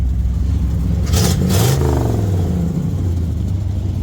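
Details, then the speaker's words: 1972 Chevy C20 V8 after sitting many years, under misfire diagnosis with some non-correct parts, valve cover oil leak: deep, even rumble rising and falling cleanly through the rev with no stumble or popping; smoothest it has run. Normal revving. "That is absolutely the smoothest she's been running the entire time she's been with me. So, oh man, she sounded good."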